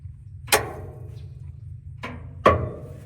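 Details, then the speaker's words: Bowie Lancer 600/700 hydro-mulcher running: over a low engine hum, three sharp metallic clicks about two seconds apart as the pump clutch engages and disengages. Normal clutch operation. "so if you listen real closely you can hear that that's the pump agit uh pump clutch there you hear that noise okay that disengaged it"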